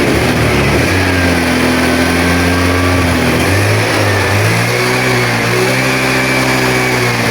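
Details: Honda Vario 110 scooter with battery suspected of not holding charge (charging confirmed present), kick-started and warming up for 10–15 minutes; steady, even hum with smooth rises and falls in revs, no knocks or rattles; running healthy.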